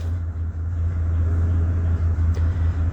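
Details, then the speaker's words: 2007 Ford F350 with Triton V10, no check engine light: deep lumpy idle rumble with brief dips as cylinders misfire; cylinder contribution test at idle shows cylinders two and three negative, and the miss clears briefly with throttle. "Now you see cylinder two negative. That means it's missing, not firing."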